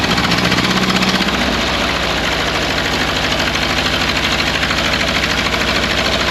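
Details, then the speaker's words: 1929 Ford Model A Doodlebug four-cylinder revived after years sitting, choked, timing backed down: steady, slightly uneven chugging idle at a low even beat; running on its own, a little rough, carburetor and timing need work. "all right she is running"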